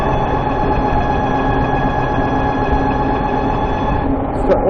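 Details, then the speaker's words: Warmed-up VX1 under load climbing a hill, around 30 mph: steady high-pitched chirp above road and wind noise, louder once the transmission is warm; owner attributes it to the transmission, unconfirmed; chirp under load. "It seems like once the transmission is warmed up, it's louder. It also seems like it really starts going at about 30 miles per hour."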